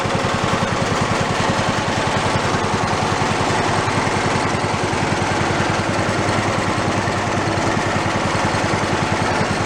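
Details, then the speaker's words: Toro riding mower engine, failed and torn down, rebuilt missing half its crankshaft, idling with no throttle and possibly choked: lumpy, uneven, loping thump "like a Harley" with shaking from the out-of-balance crankshaft. "I don't know if the shaking is showing up. I don't know if the shake shows up on the camera. It's pretty good. Like a Harley."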